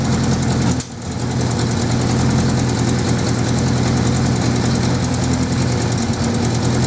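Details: 1979 Suzuki GS550E four-cylinder just started after about five years laid up, on old fuel: steady idle drone with an uneven, slightly popping beat; carbs not blocked as feared, runs rough and wants a tune-up, cause suspected, not confirmed.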